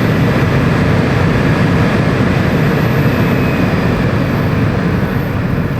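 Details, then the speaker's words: 2020 Toyota RAV4 after its rodent-nest-packed blower motor was replaced with a new Toyota unit: steady, even rush of air with no squeal, rattle or ticking; normal blower operation after repair. "Oh yeah, we got a blower now."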